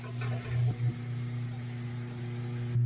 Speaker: That's the sound of a motor trying to turn, but it can't turn. And in some cases, the drive belt could be gone or missing or just broke.